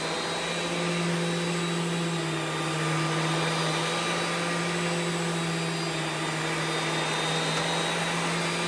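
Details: Rainbow E2 single-speed canister vacuum (believed early 2000s) with power brush: steady loud motor whine with constant low brushroll hum, no rattle or pitch change; normal running.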